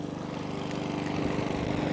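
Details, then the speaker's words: Mountfield 414 lawnmower with a 164 engine, after repairing its fuel-leaking carburetor and adding fresh fuel: starts straight away. The single cylinder holds a steady, even putter with no hunting or surging. Running normally. "it started straight up no mucking about no hunting"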